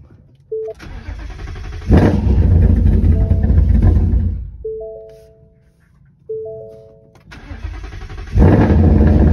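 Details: 2018+ Mustang just after a ported intake manifold swap and fuel pump reconnection: engine cranks briefly, fires cleanly and settles to an even idle with a couple of crisp revs; normal start-up, sounds healthy.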